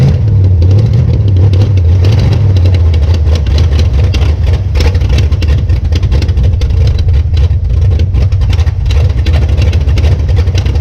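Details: 1966 Plymouth Belvedere V8 after swapping a flooding cheap Quadrajet for a rebuilt used Edelbrock carburetor, fuel primed by cranking: fires and settles into a deep, steady rumble with a few throttle blips; normal start and idle.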